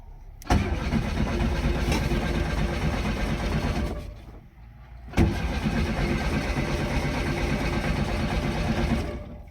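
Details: VW Golf Mk1 1.4 carburettor, abandoned car being revived, no battery warning light: two long cranking bursts with steady rhythmic starter churning, engine never catches; no spark.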